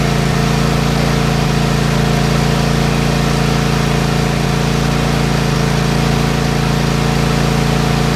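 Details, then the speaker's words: Craftsman Kohler 7000 series KT715 20 HP twin after replacing failing ignition coils that caused a high-speed miss and power loss: smooth, even idle with a steady low hum, no skips; firing cleanly on both cylinders, runs like a sewing machine. "Well, Guys, well guys, as you can tell, it runs like a sewing machine now. In fact, I went out and did a little bit of mowing on it. No more uh miss on a cylinder."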